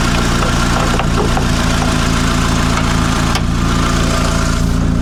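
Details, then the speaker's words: Mitsubishi Lancer CE two-door coupe after repairs: even, steady petrol idle with no hunting or misfire beats; fast idle settles down, sounding much better. Normal idle and revving. "okay that sounds much much better that's what the other one used to do fast Auto and then it settles back down"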